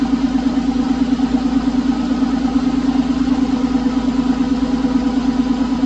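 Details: Porsche 911 996 C4S M96 flat-six idling smoothly months after a ticking noise, no intervention: steady hum, regular pulses, no ticking left; owner suspects a sticky lifter was the cause.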